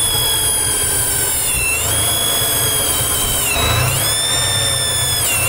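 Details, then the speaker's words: 1995 Chevrolet S10 at warm idle, noise only once at operating temperature: high thin whistle wavering up and down every second or two; vacuum leak whistle, fixed by replacing the bad TBI base gasket. "that's 99% sure a vacuum leak there I just want to make sure what it is anyway thank you for watching"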